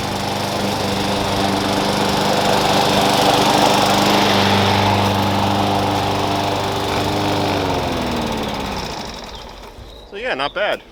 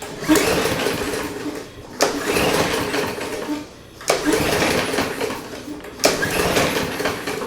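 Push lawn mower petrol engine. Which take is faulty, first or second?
second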